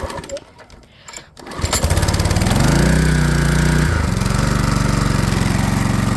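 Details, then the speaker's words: Flathead Briggs and Stratton small engine after carburetor replacement, filled with 91-octane ethanol-free gas: pull-start catches at once, revs up and settles into a steady, even drone with no misses; normal running. "Just like that. And that's how you replace a carburetor on a flathead Briggs and Stratton."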